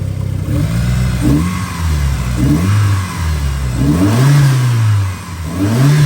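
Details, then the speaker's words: 1991 Mitsubishi 3000GT VR4 with new 3-inch turbo-back exhaust, revved: smooth repeated revs climbing and falling cleanly with no knocks, misses or smoke; hood rattles slightly; engine sounds healthy. "How's that sound? Everything's good. There's no smoking. There's nothing really."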